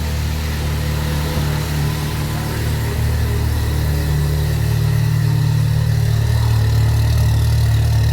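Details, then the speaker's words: Subaru Impreza GC8 rally car with newly fitted Project X EJ20X engine, twin-scroll turbo, equal-length headers, after good compression test, replacing engine with failed #2 rod bearing: deep even flat-four burble, smooth healthy idle. "ultimately the trooper is up and running everyone's smiling"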